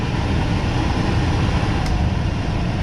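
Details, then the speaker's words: 2005 Super C motor home roof A/C unit after an owner repair, tested on low fan and high fan: steady even low roar with no rattles, squeals or cycling; running normally. "right on i can hear it okay that is what they call low fan that's high fan"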